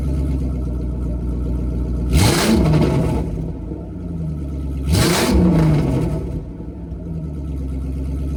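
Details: Ford 3V V8 with newly fitted Ford Performance intake manifold and throttle body after a rough first start; steady deep idle with two quick clean blips, no knocks or rattles, sounding healthy.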